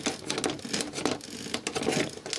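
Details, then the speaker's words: Small DC motor from a disc drive mechanism run on a variac: dry, rapid clicking and ratcheting as its gear skips teeth because the laser sled is stuck and won't move. "I can't move it seems to be stuck you can hear it skipping teeth"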